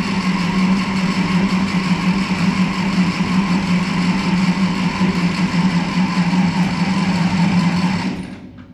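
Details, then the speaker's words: 1951 Ferguson TO-30 tractor, start attempt with fuel on and a touch of throttle: steady droning crank about eight seconds without catching, then stops; hard starting, otherwise needs jumper cables after sitting or when hot. "see if maybe we can't start to sort through this hard starting issue yeah because i need it to start we we need to crank and start and not have to hook up jumper cables every single time after it sets or after it's hot or whatever the case may be"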